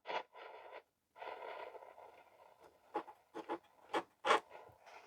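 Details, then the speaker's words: Vintage Philips radio on medium wave, chassis loose: only scratchy crackle and hiss while tuning and moving the volume, no stations received; reception fault, cause not found, set abandoned. "I can't get anything other than a bit of steady when I move the volume around can't pick up any channels any stations at all"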